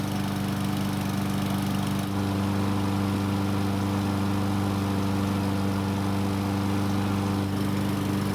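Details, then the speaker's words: Yard Machines lawn mower small single-cylinder engine after carb cleaning, about 5-minute test run, valve cover 134°F and cylinder head 215°F: steady, even drone with none of the earlier surging; runs smooth and healthy. "so it started up just fine and ran without the surging from before but the bigger question is how will it start when it's hot"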